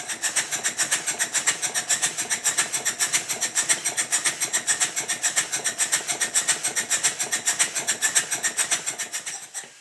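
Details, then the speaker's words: Southworth duplex boiler feed pump running on compressed air at high speed before its timing was set; quick, lopsided chuffs about two per second give uneven beats and intermittent water flow where flow should be continuous. "you can hear that the pump's beats are uneven and the water flow from the outlet should be continuous with a pump of this type"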